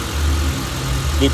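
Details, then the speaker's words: Honda Civic FD with K20 engine that had long cranking from a rusted fuel pressure regulator; after the fuel-pump pressure-holding fix, the engine restarts instantly and settles into a low, steady idle with no stumble. Normal idle. "ติดแล้วดับสตาร์ทเครื่องใหม่ก็ติดง่ายค่ะ"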